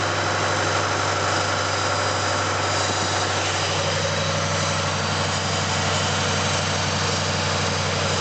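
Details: 2007 Ford Mustang GT 4.6 V8 at idle with a bad water pump: even idle with a faint steady whine riding over the engine note.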